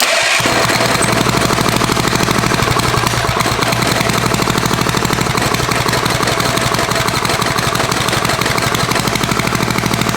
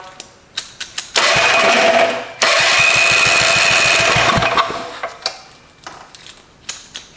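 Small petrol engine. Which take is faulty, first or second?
first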